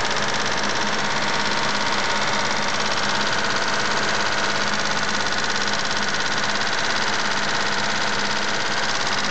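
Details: Mitsubishi GTO at idle: a light, fast, regular ticking over the engine note; owner suspects lifter tick, unconfirmed, and plans an oil change to Millers 10W-40 fully synthetic.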